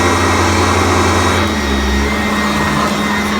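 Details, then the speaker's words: Upright vacuum running on carpet with brush height reset to setting 2 after a lower setting whined and struggled: smooth steady motor hum, only a faint brush whine, still pulling on the carpet, normal running. "A lot less. The brush is smoother. Yeah. And you can still feel it pulling."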